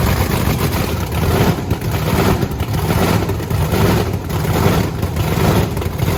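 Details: Blower V8 Camaro, fired up after topping up fuel; two bigger-jet cylinders run 60–70 degrees cooler, not worrisome: heavy, choppy rumble with clean crisp throttle blips about once a second, no misfire; healthy.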